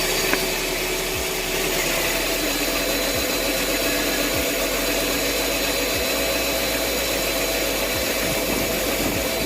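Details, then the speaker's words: 2008 Mercedes CLS500 V8, two plugs per cylinder, P0300 with cylinder 1 misfire: rough, lumpy running with a dip every second or two and no spark heard from the coil; failed ignition coil. "I do not hear a spark from this coil as well."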